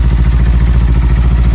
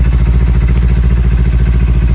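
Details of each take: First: Kawasaki Ninja 300: quick regular ticking about eleven beats a second over steady idle; changes when the 10 mm tensioner bolt is loosened and stops when it is tightened; faulty cam chain tensioner. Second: Kawasaki Ninja 300 with a tik-tik noise traced to a faulty chain tensioner: with the tensioner's 10 mm bolt loosened, the idle is steady and even with no ticking. Tightening it brings the tick back.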